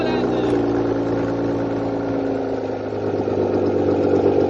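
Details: 1998 BMW E36 328i, rebuilt M52B28 six after head gasket replacement, first start on cheap break-in oil: steady, even idle with a smooth low hum, no knocks or misses; running cleanly.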